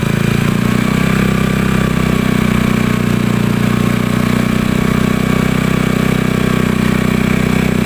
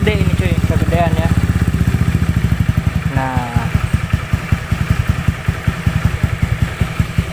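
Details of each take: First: Honda Beat carbureted scooter with a new PE24 CPO carburettor, after the air screw adjustment and idle reset: a steady, even, smooth low beat that holds without hunting or stalling. Normal idle. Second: Honda Beat carbureted scooter, first start after fitting a PE24 CPO carburettor: the small single runs a busy, fast, slightly uneven idle that never settles. Idle speed is set too high before the air screw adjustment.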